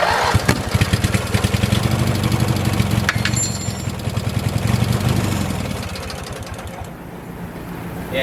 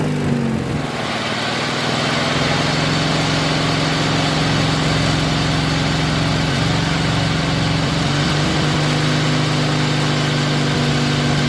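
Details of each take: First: 1986 Murray lawn tractor after carburetor cleaning, no gas added: starter cranks, then the engine catches in uneven, stumbling firing pulses that sag away. It runs only briefly on leftover carb cleaner spray in the intake. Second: 1986 Murray lawn tractor, 40-some years old, after carburetor repair, mowing grass under load: the engine holds a steady, even low drone with no surging or misses. Normal running.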